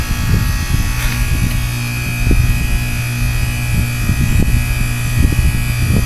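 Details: Goodman heat pump frozen solid with ice during a 2014 blizzard, defrosting: steady low hum under a thin whistle with ice breaking, scattered ticks and drips; an ordinary defrost.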